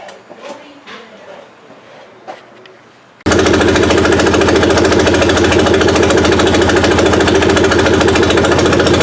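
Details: Suzuki Sidekick after swapping the old 8-valve engine for a 16-valve, first run with distributor timing set around 8 degrees BTDC, low on fuel: engine catches and settles into a loud, even, rapid idle with no misses.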